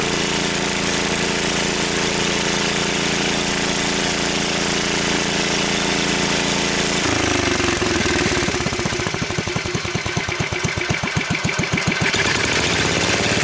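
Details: Wheel Horse 753 lawn tractor, single-cylinder engine run on choke then given throttle: steady running, then a harsh rapid rubbing chatter rises with throttle and seems to be getting worse. Flywheel checked still tight; a guard is rubbing.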